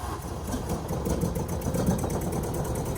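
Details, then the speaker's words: Mk1 VW Caddy/Rabbit truck, sat about 8 years, moving under its own power after an engine install and a backfire: uneven, lumpy low chugging like a tractor; the owner suspects old fuel, only partly drained and topped up. "Now it just sounds like a goddamn tractor. Yeah, there's some weird stuff going on, but pretty sure it's just because it's old fuel."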